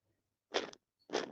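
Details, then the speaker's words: Drivetrain part on an ARRMA Mojave RC car being converted to Losi DBXL-E 2.0, spun by hand: two short gritty crunching bursts from a bad bearing; replacement bearings needed. "that noise that's a bad bearing so we know we got a we do know that we do need to order bearings"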